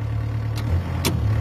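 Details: Yanmar B6Z compact excavator (0.25 class) offered for sale: low, steady diesel thump at idle with a couple of brief clicks on top, running even with no knock; normal idle.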